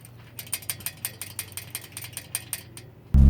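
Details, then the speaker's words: 2013 Nissan GT-R front brakes: sharp light metallic clicks, about six a second, over a low hum when driving on rough roads, because the front brake pad dowel pins lack a retaining clip. "Also, while going over rough roads, you'll hear a slight clicking sound coming from the front brakes. Well, that's because the front dowel pins for the brake pads don't have a retaining clip holding them down."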